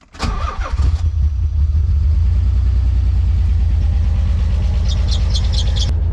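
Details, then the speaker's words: Nissan 300ZX with misfire, timing light set up, jump-started in neutral: engine cranks, fires, runs roughly about five seconds then quits; stalls after start. "okay fired it back up and it quit so let's just idle it out and see where it goes"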